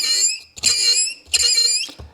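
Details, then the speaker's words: Mercedes W126 heater/AC blower motor removed and run on the workbench: loud, shrill squeals in repeated bursts from a dry front bushing, before lubrication is tried. "imagine if that was on full blast and you're trying to be warm in the winter time it's not a whole lot of fun"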